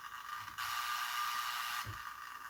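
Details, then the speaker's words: LM386 amplifier-based sensitive electronics probe: faint buzzy hiss jumps to loud harsh rasp when the bench lamp switches on, picking up lamp interference. "mpada de bancada e vocês através do som vão perceber o ruído que essa lâmpada gera, ó."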